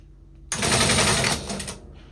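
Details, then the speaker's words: Teletype Model 33 KSR powered on; a short burst of fast, harsh mechanical clatter that cuts off abruptly; mechanism binding, noisy and jammed, needs restoration. "All right, well, it does do something. It's a little noisy, it's a little jammed up."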